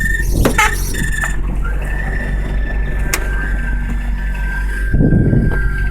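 Steady high squeal holds over the idling engine without changing pitch; a whine or squeal of unknown origin, likely belt-driven.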